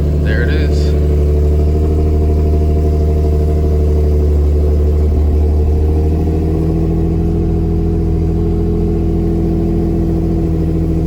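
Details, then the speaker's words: Nissan 350Z Nismo starting after a dead battery was replaced and wiring cleaned up: steady, even low drone with smooth settled idle, no knocks or misses; engine runs healthy. "all right guys i don't want to keep it that long sounds good all right guys it starts there it is the car starts sounds healthy"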